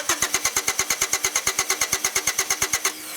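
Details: 1993 Honda Accord with intermittent no-start when hot, cranked with a remote starter at the starter S post: steady cranking about six pulses a second, never fires; crank no start, failing fuel pump.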